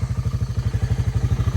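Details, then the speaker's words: Early-1990s Honda FourTrax TRX300 ATV, auction machine revived, idling after a 15-minute ride: crisp, even putter of about twelve beats a second, no misses or knocking; clean, healthy single-cylinder idle, "running perfect". "and this thing is running perfect this thing is running perfect"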